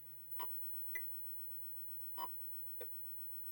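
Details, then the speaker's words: Atari Breakout arcade PCB after an open sound capacitor was replaced with one measuring about 1.0 µF, game coined up and played: four short, clean bleeps with clear pitch and no crackle or dropout; the audio problem is fixed. "so I'm going to look at that but the audio problem we had is fixed"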